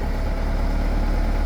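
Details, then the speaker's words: Engine idling steadily and smoothly with no stumbles or puffing misfire after new spark plugs and wires were fitted and loose plug wires were tightened, which fixed the earlier rough idle. "So everything is snapped into place and tight, and man, it's running so nice and smooth now."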